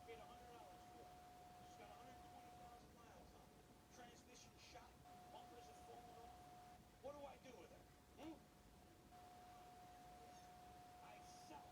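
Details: Brand-new Sony Bravia 32-inch TV with faulty, sparse, irregular faint clicks in a quiet room over a steady thin high tone.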